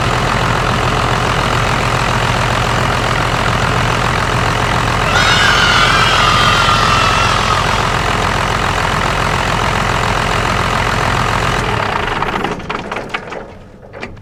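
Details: 1st-gen Cummins diesel pickup idling after fuel leak repair (fuel filter removed for access) following a lift pump change: even idle with steady clatter, no misses or hunting; runs healthy.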